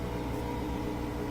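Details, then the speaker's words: Bosch Axxis washing machine that won't spin during its cycle, drain pump running after the water is out: steady low motor hum with a hollow, airy tone, slightly louder from hitting air, no rattle or grind; normal drain pump running dry. "So that's just the sound of an empty sump. That's the motor spinning, hitting air, so it's a little bit louder. That's normal."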